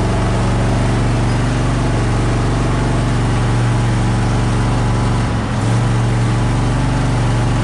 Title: Japanese Beetles are out & Engine Running Rough 6 11 2021